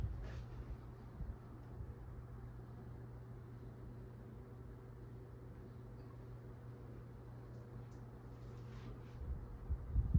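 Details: 1981 Fasco parlor ceiling fan with wood blades, variable speed control that jumps up quickly, on low speed: only a faint steady low motor hum, no ticking, wobble or rubbing; normal quiet running.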